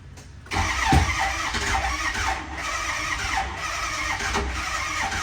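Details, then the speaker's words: Ford 6.0 Powerstroke diesel being started after water pump and radiator work, intake not bolted down: long slow cranking, then an uneven catch with a single sharp pop, likely leftover brake cleaner in the intake; glow plugs suspected not working. "all right so that little bit of Pop you heard was probably the remnants of brake cleaner in the uh intake track so let's try this again pretty sure at this point the glow plugs are not doing anything"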